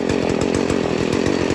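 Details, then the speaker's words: Stihl FS 40c trimmer two-stroke with the low-speed screw turned left: a sluggish, burbling idle pulsing about ten times a second and bogging, running too rich on too much gas. It is corrected by turning the screw in an eighth turn at a time. "so it's starting to bog down now so it's running too rich it's getting too much gas"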